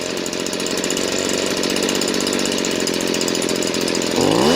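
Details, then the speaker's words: Stihl BG56C leaf blower, 27cc 0.9hp two-stroke, warmed up. With the low-speed mixture screw turned all the way left, the idle is boggy, dull and dropped, not crisp. About half a turn brings it back to running right. Lean low-speed mixture. "notice it's boggy and the idle has dropped. Sure, it'll run, but it's not running like it should."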